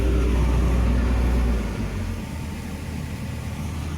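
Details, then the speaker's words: Excavator diesel at 10,000 hour meter during service, revving through modes A to 1600, H to 1700, SP to 1800 rpm; steady, even high-rev drone then eases slightly, no knocks, rattles or misses. Normal high idle. "Ini di posisi A. Ya. Sampai 1600. Posisi H RPM masih sampai 1700. Posisi SP sampai 1800"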